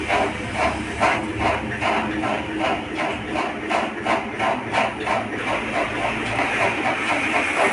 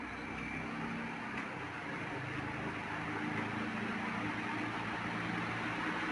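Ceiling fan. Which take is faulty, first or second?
first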